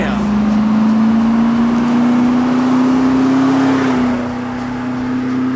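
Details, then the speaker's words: Hummer H3 Alpha V8 after new shocks, brake master cylinder, diff bushing and control arms, with exhaust cutout open: deep even note climbing smoothly then easing back, no knocks or rattles; normal V8 revving. "and to top it all off chunk even got an exhaust cut out so that way we could finally hear that V8 sing Oh man"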